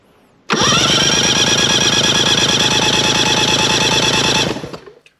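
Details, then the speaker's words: Mercury 50 hp three-cylinder two-stroke outboard during a compression test with plugs removed, reading about 115, 110 and 110 psi; fast, even cranking for about four seconds with no hesitation, a healthy powerhead. "So we have a good, healthy power head."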